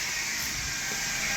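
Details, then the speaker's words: 2005-2010 Hyundai Sonata 3.3L V6, engine running right after power steering pump replacement: steady high hiss and whine with faint bubbling as the wheel is turned lock to lock, air bubbling out of the refilled steering fluid. "All right, so this is the sound it'll make as it's bubbling out. You can see there's bubbles in there. Bubbles are coming out of the system and continue to spin the wheel lock to"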